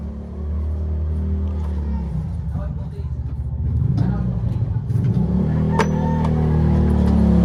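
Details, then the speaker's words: Engine left unused two weeks, now hard starting, fuses jumpered: steady low starter churn about four turns a second, never catches; crank no start, fuel not rising, suspected dirty fuel filter or pump not pumping, unconfirmed. "Walang parang walang umakyat filter. Fel filter madumi hard starting. Walang umaakyat na gasolina ano kaya?"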